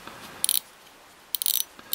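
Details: Daiwa 7HT ST fishing reel after strip-down and rebuild with a stainless steel main gear and custom pinion support: crisp, quick bursts of light clicks as the spool turns. The ratchet clicker engages cleanly and works normally.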